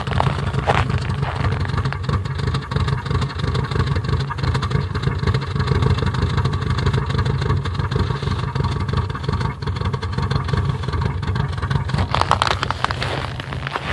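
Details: Rough idle with a misfire on a 2002 Subaru Impreza WRX: idle shakes and stumbles with an irregular chuffing beat instead of an even hum; cause not yet found.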